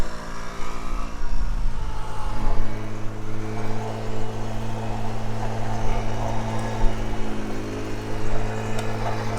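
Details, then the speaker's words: Tao Tao 50cc scooter being ridden: flat, strained drone that won't climb with throttle, engine bogging out completely under load; cause not confirmed. "But you see it bogs, it just completely bogs out."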